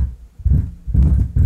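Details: Miller & Kreisel MX-90 powered subwoofer, no input or speakers connected, bass level at minimum, low-pass mid: uneven deep thumps and crackly rumble; bass level pot found defective and replaced, unit then fine.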